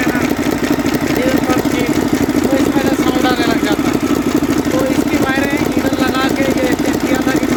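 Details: Mercedes Actros six-cylinder diesel truck, 2009, at idle: sharp, uneven crack about once a second on one cylinder (No. 3 suspected); a seized rocker roller causes the misfire.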